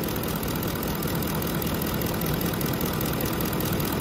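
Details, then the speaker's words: 2009 Ford F-150 5.4 3-valve after a botched timing job by another shop, purge valve tested good and capped off: loose uneven idle chug, laboring, still rolling idle; rough idle, cause suspected, not confirmed. "we're capped off on here we're not flowing anymore still rolling idle on there"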